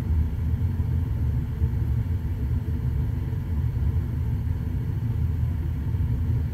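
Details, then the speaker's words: Trane XV80 furnace that fired but wouldn't blow, no error code, after soldering in a replacement for a blown thermistor: deep, even rumble with no ticking, scraping or surging; the blower fan now runs normally. "she goes fan motor working"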